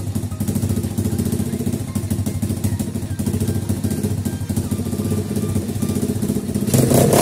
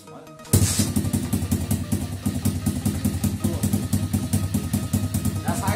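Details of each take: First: 50cc two-stroke pitbike after carburetor cleaning, mixture screw backed out about one turn and adjusted for highest idle speed. Small single ticks over at a quick, steady idle with even firing and no misses; idle now normal. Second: 50cc two-stroke pitbike after carburetor cleaning, idle screw turned in half a turn so it stays running, mixture screw still fully in. Lumpy, uneven idle with irregular firing pulses; idle mixture not yet set, rough idle.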